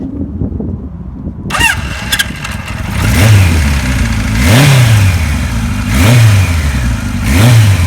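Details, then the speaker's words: 1976 Kawasaki KZ900, restored from boxes, fuel tap on reserve: catches after a short crank, then settles into a steady, even low idle with a few throttle blips; engine sounds healthy. "That motor sounds nice. I'm going to run it up down the driveway here a little bit, show you how it runs."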